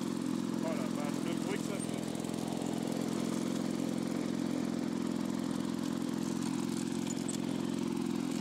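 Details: Lawn-Boy two-stroke mower after crankcase hole and exhaust muffler repair: loud buzzing with an uneven, wavering beat; rough running, mixture screw hard to reach and not yet adjusted.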